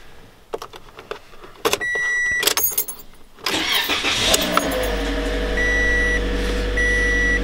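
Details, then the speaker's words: 2005 Mercedes-Benz C240 4Matic V6 with high mileage, cold start at around 20°F on an icy day. The starter cranks briefly, then the engine catches into a steady but slightly uneven idle with chime beeps. Rough cold start. "doesn't sound good but look at that she fired right up"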